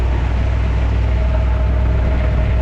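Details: 1981 GMC 3500 2WD race car hauler, 454 V8 with 3-speed, parked 20 years: low, steady, even idle with no misses, knocks or ticks while checked underneath for leaks. Runs normally.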